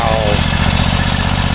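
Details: Tractor woken after winter storage, batteries charged, belts slipped off and pump primed, started on open choke: fires quickly and runs with an even, steady thumping beat, no misses or knocks; normal start and idle.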